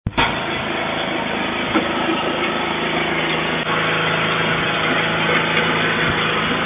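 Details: Snowblower single-cylinder engine stored 4 years in a shed with the fuel shut off and stabilized gas, fired on the first pull; it holds an even, buzzy drone at full throttle off choke with no stumbles or surging, running normally.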